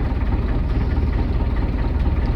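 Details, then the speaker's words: Engine idling with temperature about 50 °C, oil pressure and voltage good, no cooling water flowing through the system: deep even idle rumble with steady beat, no knocking or misses; normal idle. "right temperature is good keeping an eye on that PSI is good voltage is good"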